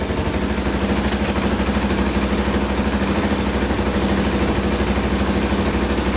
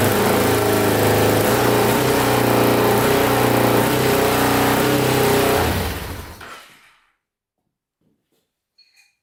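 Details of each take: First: 2000 Can-Am DS650 quad, single-cylinder 650cc, rebuilt top end, after lowering idle on carburetor: steady even thumps about three per second, no misses or surging; normal idle. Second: 2000 Can-Am DS650 quad, single-cylinder 650cc, freshly rebuilt top end, idling fast and steady without settling, even with choke out, then shuts off; high idle thought to be from throttle cable slightly too long, to be trimmed.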